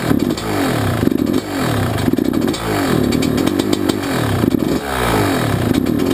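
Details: YZ125 two-stroke, either the 2001 at its first start after a rebuild with a new Wiseco piston or the freshly rebuilt 1999: crisp revs climb and drop cleanly, sharp throttle pickup, no knock or rattle; healthy.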